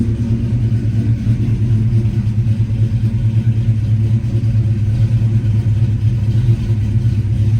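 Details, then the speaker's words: Started in neutral right after an oil change with 5 liters added; steady, even low rumble at idle with no knocks, ticks or squeals; sounds healthy and settled. "I'm gonna quickly fire it up. Get the keys. Put neutral. Sounds pretty healthy right now."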